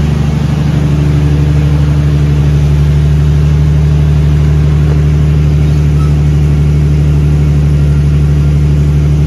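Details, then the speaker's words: Big-turbo Nissan R32 Skyline on third start, running a self-adjusted basemap, not yet tuned, in neutral after chasing coolant and power-steering leaks: deep, steady idle with even low throb, no misses, knocks or hunting; AFR slightly rich, oil pressure 58; normal idle. "so that's the car as she stands let's have some uh tuning to work out obviously uh idle's pretty okay"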